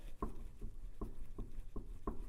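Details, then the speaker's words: 1975 Triumph TR6, left front wheel rocked by hand on shop inspection: soft, dull clunks about every half second from up-and-down play, none side to side; suspected wheel bearing, ball joint or trunnion, not confirmed; right side tight. "so that could be a wheel bearing though we don't really feel it this way so it could be like a ball joint or a trunnion"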